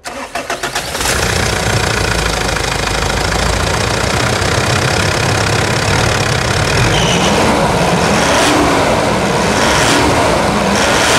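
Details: Mitsubishi Pajero Full diesel, 10,000 km since light service, in for rear axle hub bearing replacement: quick crank, then catches and settles into a steady, even diesel clatter with no misses or knocks; normal start and idle.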